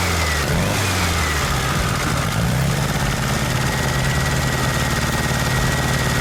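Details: VW Super Beetle Volksrod air-cooled engine after a test change, header only slightly warm: uneven loping idle with skipped pulses like a dead cylinder; misfire still there, distributor cap suspected faulty.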